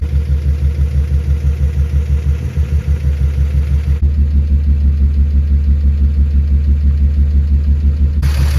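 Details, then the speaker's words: 1962 Dodge Lancer slant six, previously seized, at idle: uneven, loping beat with one cylinder intermittently misfiring and occasionally catching again; no knocking. "there's a cylinder that's maybe not dead dead but kind of dead misfiring you know but I hear it picking up occasionally but it runs and it's actually not knocking so that's great"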